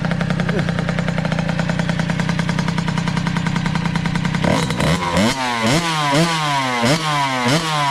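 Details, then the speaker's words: 2003 Kawasaki KX60 two-stroke on 40:1 premix, air-fuel screw one and a half turns out, dies without choke: buzzy idle, blips rise sluggishly and fall off; still boggy, carburetor suspected. "def still boggy so I guess at this point we're going to strap something up and take it for a quick ride"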